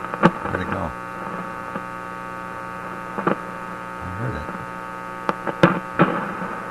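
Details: Simplex antique vacuum tube radio on shortwave, hooked up to the antenna wire, front end suspected faulty: steady low mains hum with a few faint clicks, no station or test tone coming through; set receives nothing.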